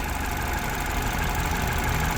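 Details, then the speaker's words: Citroen DS3 with newly fitted performance induction kit, lid secured, after running a few minutes: steady even low idle with no knocks, misses or hunting; normal warm idle. "so we've been running now for a few minutes and everything seems to be okay but um that's all nice nice and secure now that's not going anywhere it's not going to rattle"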